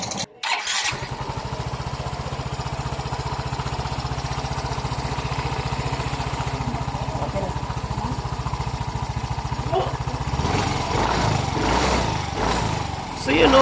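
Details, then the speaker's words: Even, steady putter at idle with no knocking or tapping from a Yamaha Mio i 125 after engine repair for head ticking and piston slap; engine sounds like new. "oh malaki talaga pagbabago no naging successful talaga ang aking pag tunog at ' ba ang laki ng pinakaiba so balik yung tunog ng kanyang makina lang yung tunog talaga na original na parang brand new"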